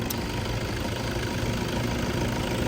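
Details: 2010 Toyota Vigo 2.5 E diesel pickup, 54,000 km, just started with all lights on: steady diesel idle with even low clatter, no misses or knocking, and no blow-by. A healthy engine.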